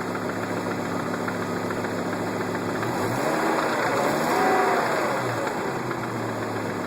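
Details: Volvo S70 T5 at idle: steady rhythmic knock roughly three or four per second over the engine note; owner suspects rod knock, not confirmed.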